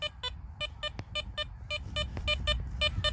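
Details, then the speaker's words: Garrett Apex metal detector over silver threepence coins at pinpointer and pinpointer-and-a-half depth, soil replaced on top: quick mid-range beeps about twice a second, IDs in the 50s; sounds the same as with the hole open. "sounds exactly the same as what it did with the cloud open"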